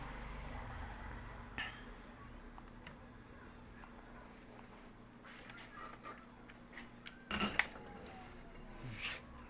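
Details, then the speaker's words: Electric motor after bearing and seal replacement, running in reverse: quiet steady hum, no grinding, rumble or knocking; clean normal sound after service. "marchan reva motor funcionando perfectamente no hay ruido extraño es el ruido limpio de él"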